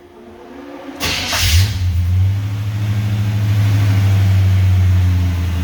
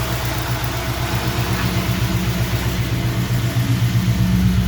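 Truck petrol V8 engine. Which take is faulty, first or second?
first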